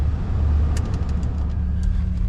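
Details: Omega, possibly still on its original 2001 battery, fired up after a period unused: low, steady engine hum with an even idle and no knocks or stumbles. The engine caught and runs normally; normal idle.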